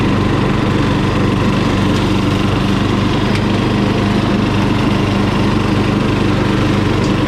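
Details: Murray lawn mower single-cylinder engine, just after carburetor cleaning for dirty fuel (float and needle fine): steady, even beat holds at full throttle without stumbling or surging; running cleanly.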